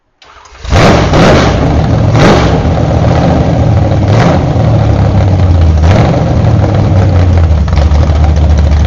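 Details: Freshly built 1968 Camaro Z/28 302 V8 with 30-30 Nostalgia Plus camshaft, fire-up on open headers without mufflers: cranks, fires quickly and settles into a loud, deep, lumpy idle with a few sharp blips; healthy startup and rev.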